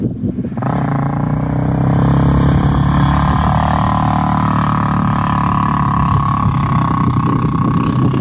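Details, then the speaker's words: Yamaha Raptor 350 single-cylinder ATV riding at the dunes with gutted stock muffler: loud, raw, rasping drone held steady at speed, loud but not a quality sound; owner plans an FMF slip-on. "It sounds loud, but not a quality sound, if you know what I mean."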